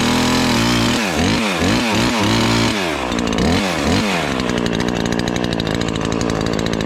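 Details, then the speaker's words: Ported Husqvarna 543XP chainsaw, first cuts after porting: blubbers and burbles unevenly instead of screaming clean; carburetor way rich, four-stroking even under good load, main jet to be leaned. "It's definitely way rich. That's okay. Still four-stroking even though you get under a good load, so we can still lean it a little bit."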